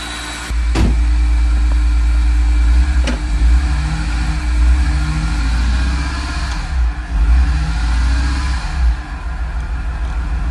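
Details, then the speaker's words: Flood-damaged 2006 BMW E46 M3 straight-six at its first start after an oil pan and frozen starter replacement, with no cooling system hooked up: low, uneven, dipping idle running rough from an audible vacuum leak. "He's going to be burning some stuff off. Oh, yeah. I can hear the vacuum leak."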